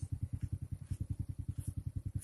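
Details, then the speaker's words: Honda Supra carbureted underbone single after carburetor air and idle screw adjustment, even steady low thump about eight beats a second, no misses or surging: normal idle. "pada posisi langsam dan normal motor Supra atau motor Honda bebek yang masih memakai karburator."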